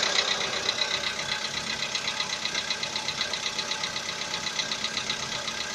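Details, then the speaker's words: VW Polo Sedan with CFNA engine at 80,000 km, knock started about 3,000 km earlier and is audible even in the cabin; light, crisp tapping about four per second over a quiet idle, cause unknown. "Застучал где-то, наверное, 3 тысячи назад. Застучал мотор. Ну, даже в салоне слышно."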